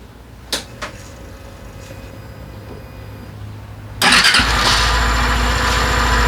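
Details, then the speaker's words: 2020 Suzuki Address 125 scooter with drivetrain cover removed: clicks, then fires into a busy rattly idle; noise disappears when throttle applied, confirmed coming from inside the engine, not the drivetrain; engine repair planned. "Sau khi tháo bộ phận truyền động và khởi động máy kiểm tra thì xác định có tiếng ồn phát ra từ động cơ."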